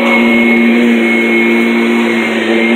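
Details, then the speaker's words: Kirby G10 Sentria upright vacuum from 2011, just out of storage with a freshly replaced belt: loud, steady motor roar with constant high whine, no surging, ticking or scraping; healthy, a little louder than older Kirbys. "We're going to see how well it's going to go. Okay. Sounds healthy."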